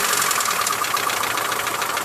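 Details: Mitsubishi Lancer 9 1.6 at a busy idle: rapid light ticking that stays steady with engine speed. Owner suspects the middle hydraulic lifters; services suggested various causes up to engine replacement. Cause unconfirmed.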